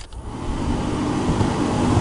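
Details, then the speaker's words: Turbo NB1 Mazda Miata with freshly refilled AC: the cabin blower fan under the passenger side is very loud, louder with the engine and AC on. Steady loud airy roar building over half a second; debris in the blower fan. "you can hear it's very loud, and it gets even louder whenever the AC is actually on, like the car is on, the AC is on, and I need to fix that."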